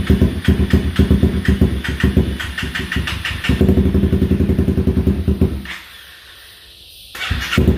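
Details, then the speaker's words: 2016 Honda CBR 300R with bogging, stalling and rough idle, just refuelled and started: uneven, lumpy chuffing about four beats a second that falters and almost dies before catching, exhaust smelling foul; rough running, nearly stalling. "thank you so close [Music] oh so close oh she's trying man she wants to stay running"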